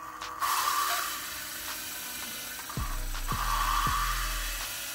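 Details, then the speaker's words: Turbocharged 1998 Honda Civic DX D16Y7 cylinder head rebuild, lapping an original valve with grinding paste and lapping tool: gritty rasping back-and-forth strokes, not yet turning higher-pitched; seat not finished. "and you can kind of hear it as you go the sound of the grinding will start to get higher pitch once you finish"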